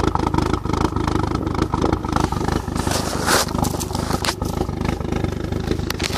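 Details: VW Golf GTI 1.8T idle thumping unevenly, pulses skipping and wandering instead of a steady beat; erratic idle with misfire, cause not yet known.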